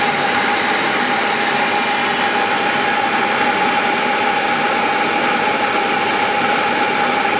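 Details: Milling a vee-block from dense old forklift-tine steel with carbide cutters, an angle cutter and coolant, taking 1 mm cuts: a steady high ringing squeal over the cutting hiss, louder as cuts deepen. Chatter from a cheap out-of-round Chinese arbor.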